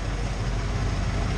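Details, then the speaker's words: 1993 Ford F-150, 5.0L V8, 88,000 miles, after replacing the failed harmonic balancer with damaged keyway that caused heavy vibration: steady, even low idle rumble with no shake or knock; normal idle, vibration gone. "that's where you say screw it and the death vibration is gone"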